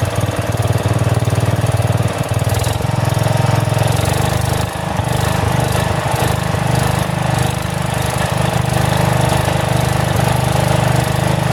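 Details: About 35-year-old log splitter with a swapped-in 12HP single-cylinder engine: runs with slow rise and fall in speed every couple of seconds; governor hunting, owner suspects the carburetor may need adjustment.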